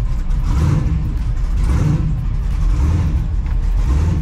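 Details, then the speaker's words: Twin-turbo Mustang with Holley, being tested on plain water after a vacuum coolant fill for an overheating complaint; at start-up it idles uneven and loping like a big cam or big block, though it has no big cam. Rough lopey idle. "it always sounds like it's got a big boy cam in it it definitely doesn't I swear to God I don't know why it's doing that why sound like a big block"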